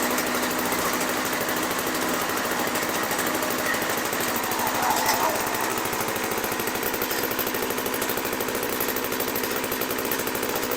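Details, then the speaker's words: 1980s MTD Snowflite snow blower, bought as a non-starter, running after priming: a loud, raspy two-stroke bark, steady and fast with no stumbling or misses; it runs normally. "oh well I'm glad I put my ear mou on cuz man that sounded like it might have been loud okay so that works"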